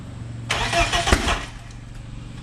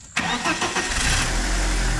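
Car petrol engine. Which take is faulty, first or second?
first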